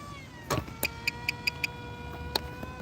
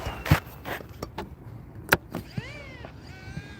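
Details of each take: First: Electric motor of a giant RC plane on 3S, after it was overheating and running warm after 30 seconds of flight: steady smooth high whine with even overtones, easing and winding down; sounds much more healthy. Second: Giant RC plane electric motor on 4S batteries: whine rises and falls, then drops out and stutters back, cutting out in flight; pack too strong for the plane, motor overheating, switched to 3S.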